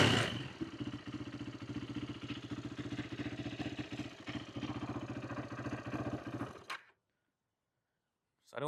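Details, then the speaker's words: 2008 Yamaha YFZ450 single-cylinder quad after carb repair (needle and float height cleaned up, no fuel leak, fuel screw out about three turns): starts instantly, quick even thumping holds steady six seconds before shutoff, no misses or surging; normal idle, oil possibly low from leak. "Um, kind of adjusted the fuel screw a little bit more. So, we're out about three turns. So, it runs pretty good right now."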